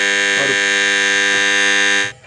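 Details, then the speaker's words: Chinese motor on a Dawlance washing machine, which has bushes rather than bearings: loud steady hum with no spin-up, then cut off. It runs unloaded but stalls with the belt on, and the looseness points to worn bushes, to be replaced. "ये इस तरह आवाज़ कर रही है जिस तरह body loose हो, मोटर लूज़ हो, बैरिंग साइज़ वगैरह लूज़ हो। लेकिन ये चाइना की मोटर है, इसमें बैरिंग नहीं होते, इसमें बुश होते हैं।"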